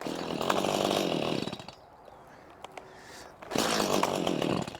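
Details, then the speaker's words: Stihl chainsaw about a year to a year and a half old, that ran fine earlier; roars briefly, drops to almost nothing, then picks up again, starving itself out, cause unknown: engine won't stay running. "just won't stay running this is only like I think I bought this a year year and a half ago but you see it was running so perfect earlier"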